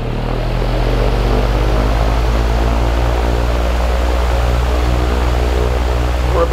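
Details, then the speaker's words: Dayton/Grainger 2MA11 24-inch ball-bearing fan on low speed, measured at the fan about 70 dB and roughly 1250 rpm, original capacitor; steady low drone with rough throb under the blades, excessive motor noise. "it's like with the fan on this is measured right at the fan okay so that was about 70 decibels or so on low speed"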